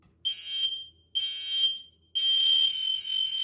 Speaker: >> Oh, now the rest of them go off as well cuz they're all in connected.